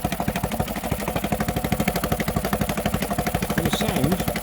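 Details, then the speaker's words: Honda BF5A 5 hp four-stroke outboard, not started for two and a half years, new fuel line fitted: quiet, even, quick thumping with steady pulses, rising slightly on throttle; normal running. "so I will fire it up they took over and then 14 reverse we go quiet beautiful engine there we go yeah I'm absolutely over the moon with that what a great bit of kit"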